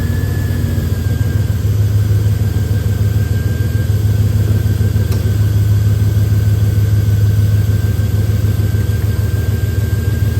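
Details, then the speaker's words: LS V8 Chevy truck idling after a serpentine belt and tensioner replacement: smooth low rumble with no belt squeal or chirp; much quieter than before the repair. "Now that's a whole lot quieter than what it was."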